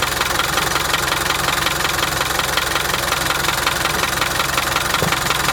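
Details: 1987 Land Rover One Ten, 300Tdi diesel, head skimmed beyond limit with thickest head gasket after overheating from failed water pump bearing; steady idle with a sharp even ticking knock about three per second, source unknown.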